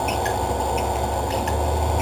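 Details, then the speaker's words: ABS spiral mixer running on its timer: a steady motor hum with a light, short squeak about twice a second. This is the tight deep-groove belts coming out of the groove, which is normal; nothing is wrong. "that little squeak sound that's just the belt coming out of the group perfectly normal if there was something wrong with it we'd fix it don't worry there's nothing wrong with it"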